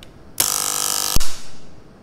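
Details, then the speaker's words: RCCB safety breaker wired with line and load sides swapped, leakage fault applied: harsh loud buzz under a second then sharp snap as it trips; internal leakage circuit board burned out, so Test button and later leakage no longer trip it. "ครับเพื่อนๆจะได้ยินเสียงดังจากภายในเบรกเกอร์นะครับและเบรกเกอร์ก็จะตัดวงจรซึ่งตอนนี้นะครับแผงวงจรกันดูดภายในเบรกเกอร์นั้นพังแล้วครับ"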